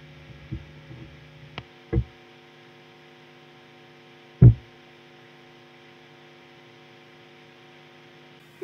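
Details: Electric guitar setup in a room with old wiring, near a power plant and lacking a real ground: steady low mains hum from a ground loop, with handling thumps. A noise gate reduces it only slightly.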